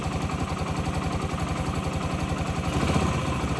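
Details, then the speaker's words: 2008 Yamaha XT125R Big Wheel, stored 12–15 years, carb cleaned, new battery: even, steady single-cylinder idle thump with light mechanical clatter, no misses or knocks; normal idle, judged mechanically nothing wrong. "From a mechanical point of view, there's nothing wrong with this bike."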